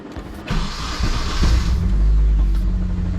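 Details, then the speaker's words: Nissan 240SX KA24DE after timing chain tick work and swapping misplaced cylinder 2 and 3 ignition wires back: steady even low rumble settling into a smooth idle, no shaking; still warming up. "That sounds way better. All right, the motor's not shaking. That was insane. Motor's not shaking."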